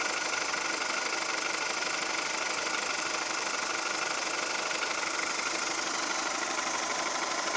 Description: Mein Golf 4 1,4 75PS Baujahr 2002 hört sich an wie Diesel.